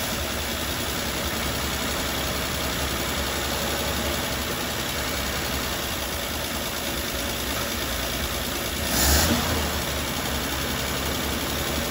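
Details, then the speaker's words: 1939 Dodge D11 sedan six-cylinder, unrun about 20 years, running after float bowl filled via carburetor vent; steady, even drone with no knocks or misses, normal running, slight smoke expected. "so it cranks right up now we'll fire it back up here so"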